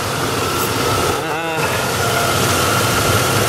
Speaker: But, oh, while we're in here, it's got 343,843K on her, but seems to still run decently, you know, so what the heck for what I paid for her.